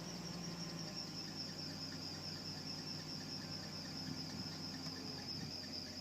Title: 2001 330i Belt Squeal